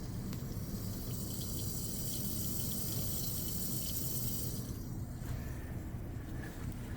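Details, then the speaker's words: Rooftop drain pipe blamed on AC overflow, heard at the wall: constant hiss and rush of flowing water; a main valve, possibly a pressure relief, is not shutting and leaks through continuously. Valve leaking by. "that is actively leaking you can hear it I thought it was draining but it's not it's actively leaking from one of these valves"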